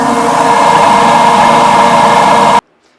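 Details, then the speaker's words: Giant GB3 vibratory tumbler: loud, steady, mid-pitched droning hum until shut off. Loud at the top bearing and quiet at the bottom; the owner is certain the upper bearing is bad. "as you can hear it's very loud and it shouldn't be and what that is is the top Berry because we come down here to the bottom and it's awful quiet"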